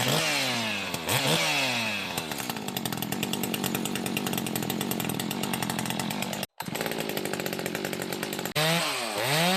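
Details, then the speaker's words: Echo 590/620 60cc chainsaw on dyno at full throttle with high needle all the way in, burbling and four-stroking strongly between 12,000 and 12,500 rpm; mixture still too rich. "you can still hear it was really strong four stroking at about twelve five it almost would rev up to twelve five but between 12 and 12 5 you're super rich still"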